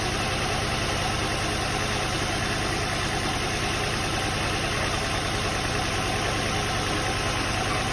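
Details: Nissan 350Z/G35 at steady idle after valve cover gasket replacement: a raspy, hissy edge over the engine note with no misfire. Sounds better than before; exhaust leak through multiple holes, likely needs a new exhaust.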